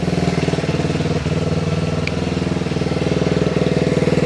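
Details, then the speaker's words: Restored Honda XR75, sat about five years and wouldn't start, just started after two kicks; steady even single-cylinder thump around four beats a second, no misses or knocks. Normal idle. "That sounds so good. Listen to it. Hey, childhood memories. Just like a wet fart after a can of baked beans."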